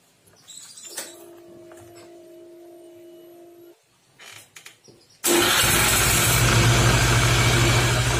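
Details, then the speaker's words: Suzuki Nex FI scooter, engine running with rear wheel spinning on stand: quiet, then loud rough roar and grind that eases when the wheel is braked; weak on hills; gearbox and CVT bearing failure suspected. "Suzuki Nex itu suaranya wah kalau buat nanjak itu benar-benar ngempos banget roda diputar segini aja udah suaranya seperti ini Ini masalahnya adalah CVT kalau nggak lahar sini kalau nggak di bagian gearboxnya"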